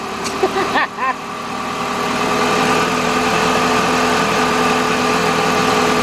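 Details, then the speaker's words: Chrysler PT Cruiser 2.4 L after timing belt, water pump and radiator replacement and fresh oil, first start: brief clatter, then a smooth, even idle with no ticking, knocking or belt squeal; normal idle. "Alright, let's start this thing up and see how it sounds. Yeah, it runs just like a PT Cruiser."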